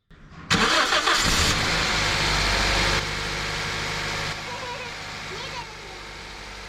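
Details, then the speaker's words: Car engine starts after rubbing grease on the rib side of a squeaking, slipping serpentine belt; cranks, catches and settles into steady idle with no belt squeal or chirp. "there is no more squeak no more squeal it really works good job"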